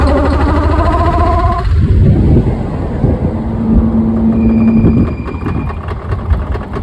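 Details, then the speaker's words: Mercedes C32 AMG supercharged engine running roughly, with uneven heavy knocks and clunks over whining tones when throttle is released after building boost; fine again after restart; supercharger problem suspected, pulleys replaced without fixing it. "But when you turn off the car and turn it back on, the car is fine again until you try and create boost, and then that's when you hear that knocking sound."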